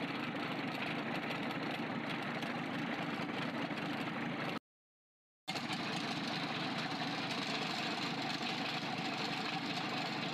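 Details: Freshly overhauled 4TNE98 diesel on a temporary stand for a leak-test run: steady, even idle with open-exhaust clatter, valves moving, no odd knocks; runs normally.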